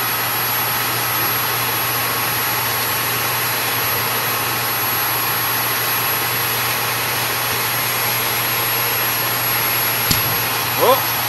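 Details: Repaired Dyson DC22 vacuum, previously broken and clogged, tested at the hose end after reassembly: constant high-pitched motor whine and steady airflow, brief rattle of debris sucked up near the end, normal suction.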